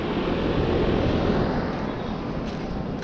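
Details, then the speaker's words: 2013 Trane XB13 cooling-only air conditioner condenser, about 13 years old, first 2026 spring startup at 78°F, level and not recently cleaned: steady even fan rush, no knocks, rattles or scraping; very quiet, fan a little loud, normal running. "This is my first time here in 2026. It's very nice and quiet. Very well installed."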